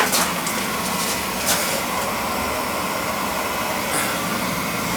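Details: Basement boiler with a leaking relief valve blamed on a bad expansion tank, fired after refilling: steady, even rushing roar from the burner, no surging or pulsing; boiler fires and runs normally.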